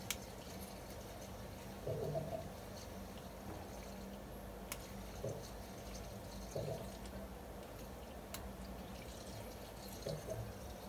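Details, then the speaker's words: Circulation pump in a water system at about 0.8 bar: low steady pump hum broken every second or two by watery gurgling surges; air trapped in the pump, switched off and on to bleed it. "Pompka jest zapowietrzona z o.o w taki sposób właśnie zawsze robię wyłączyć włączyć No i słychać że się od powietrza"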